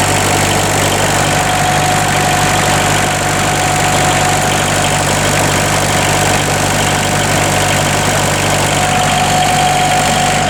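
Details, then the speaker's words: Bobcat 743 diesel after replacing all four glow plugs, started with extra glow plug time, owner suspecting air in the fuel lines: steady, even idle with a smooth low beat and no misfire or knocking; sounds healthy and settled. "There She Goes she's a runner she is a runner oh"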